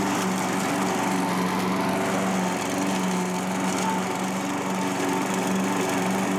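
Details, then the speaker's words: Curb-found self-propelled Craftsman mower, single-cylinder, after carburetor cleaning and reinstall; steady, even drone with no misses or surging under cutting load: normal running. "runs along better it actually does an okay job cutting some of this stuff too"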